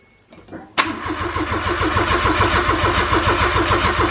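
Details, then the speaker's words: Freshly replaced Daihatsu Mira Avanzato TR-XX 660cc turbo engine, first crank with the coils disconnected and no coolant yet, to build oil pressure: the starter turns it over steadily at about three and a half beats a second; healthy crank, oil pressure came up. "we're going to disconnect the coils and we're going to see if we can crank it over and and just to get oil pressure up and make sure it'll crank over i suppose"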